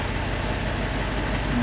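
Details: Gen 1 Audi R8 restarted after fault codes were cleared, busy uneven idle with a lumpy low beat under the engine noise, the pulse of a misfiring cylinder; rescan then shows eight faults, including supply voltage.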